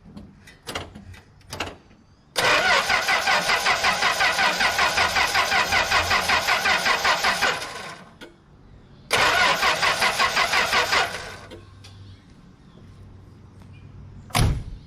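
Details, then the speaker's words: 1964 Plymouth Belvedere slant six, three-on-the-tree, sat about 20 years: two long bursts of even starter cranking, about three turns a second, no firing; points cleaned, coil wire sparks, fuel filter new with pressure; cranks but no start. "why don't I See Spark now okay I cleaned and checked the points again I put up I clean the coil wire I put a plug on the coil wire and it sparked so I'm getting spark to the distributor"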